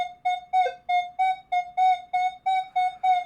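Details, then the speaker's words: Minelab Manticore at recovery speed 0, quarter touching a square nail: crisp repeating mid-pitched beeps about three a second stay clean and even, ID number off but on centre line. Coin heard clearly beside the nail. "the number is off for a quarter, but it's in the center line. And with the recovery speed of 0, it hears it perfectly fine."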